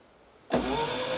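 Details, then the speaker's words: Long-stored Skoda barn find, rear-engined, cranking with strong spark but no fuel coming through; fuel in tank unknown, mechanical fuel pump suspected. Starter spins with rising whine, engine won't catch. "And you got no fuel coming through as although we don't know if there was any fuel in the fuel tank, but that's true."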